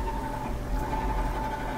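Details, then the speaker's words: Frigidaire dryer after cleaning the dirty motor switch that made the motor hum or stop at start. Even motor hum with a faint steady tone, no groaning or stalling; starts easily and runs normally. "plugged in and go to turn it on so it starts easily as it should"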